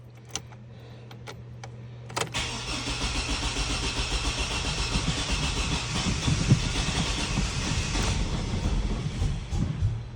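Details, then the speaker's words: 2004 Chevy Silverado 4.3L RWD after a crank-no-start, cranked after the distributor cap went back on: steady starter cranking with a few uneven catches and barks that never settle into a run. "We're getting those barks. Ooh. Kind of acted like it wanted to start there at the end."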